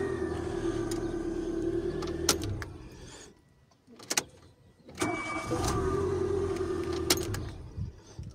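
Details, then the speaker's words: Nissan March K12 after replacing a fuel pump that made only 1 bar instead of 3.5 bar. The engine catches quickly and settles into a smooth, even idle on repeated starts: the no-start is fixed, a normal start and idle. "Վերջ խնդիրը լուծվեց:"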